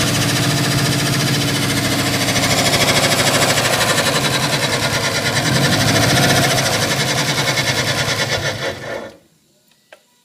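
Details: Fast, steady metallic knocking about three per second rides over the engine until it shuts off; sounds like a bottom-end knock, and a spun bearing is suspected but not confirmed.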